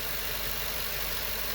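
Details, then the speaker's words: GM 8.1 Vortec V8 in an RV, idling with fan blade removed during radiator cleaning: fairly quiet, smooth even rumble, no ticking, knocking or squeal, seat belt buzzer sounding; healthy idle. "get that seat belt buzzer it's unbugging but you see we got no fan blade fairly quiet smooth engine"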